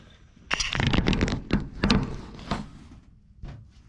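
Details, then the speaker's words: Abandoned K5 Blazer cranking after a power wire was hooked to the distributor; spark present but firing order wrong: uneven cranking broken by sharp irregular pops and thumps as cylinders try to catch without running. "Sucker's trying to start now. We got spark."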